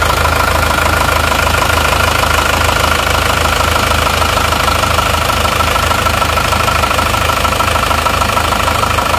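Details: Isuzu Panther diesel after engine overhaul, idling: even diesel rattle with a light gear whir on top and no irregular knocks; normal running.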